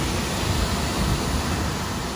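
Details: Three-phase HVAC blower motor after melted wires were found. It runs with a steady, even airy rush and low hum, with no surging or cutting out: normal blower operation.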